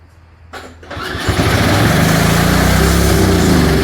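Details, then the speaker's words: Old Snapper 4/22 snowblower engine after sitting, carburetor primed: catches after a couple of tries and races to a high steady speed without throttle control; over-revving, cause suspected not confirmed. "Of course, it don't run right. You start it up, as you see, it wants to rev to the moon, so that's something else I got to look at now, see what's going on with that."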